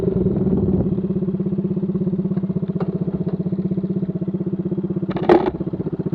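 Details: Small scooter engine idling with a loud, raspy, popping exhaust note after the muffler tip fell off and the muffler packing went missing, leaving only the empty can.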